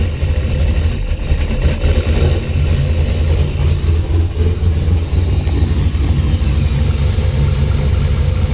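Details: Rough, lumpy idle with a wandering beat and a few surges after spark was restored by moving the coil/distributor wiring loom. Fuel pressure was 50 after prime and over 60 during prime. Engine cranks healthy but sneezes fuel and runs really rich.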